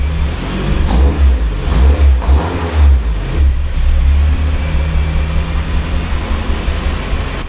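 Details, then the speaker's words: Honda K20A3 engine in an EP3 fitted with a K20A2 head and K24 cams, valve lash freshly adjusted, untuned; first start fires with quick blips then settles to a smooth, even idle with no valvetrain ticking. "Praise God, there it is. It is running."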